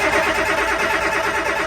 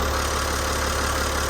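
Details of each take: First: Boat diesel engine after new and rebuilt injectors, with the injector pump and fuel system reinstalled: cranking churn with a brief attempt to catch, then dies after two seconds; it nearly fires, air bubbles likely still in the fuel. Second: Boat diesel after new injectors, crush rings and fuel system refit: steady, even idle with smooth low rumble, no knocks or misses; main oil leak gone, though number 6 cylinder still leaks.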